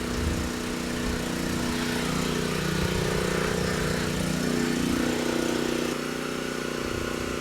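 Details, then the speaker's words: Titan TG8000Z generator, previously ran only on starting fluid, oil sensor found unplugged; under load at 60.8 Hz and 128 V, steady even drone with no surging or hunting, constant speed; engine running normally under load. "not too bad started right up sounds good surging is not an issue and handle the load just fine so we know the engine is good"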